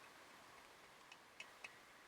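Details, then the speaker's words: BSA A65 cylinder head off, exhaust valve spring removed (had been fitted upside down): the freed exhaust valve is wiggled by hand and gives three sharp metallic clicks, rattling and flopping in its badly worn valve guide. "it's flopping around all over the place there that sound is the valve rattling in the guide"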